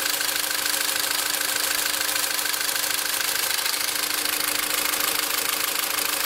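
Steady fast metallic ticking, about three a second, rides over the idle with a faint whine, so something is rattling in the top end.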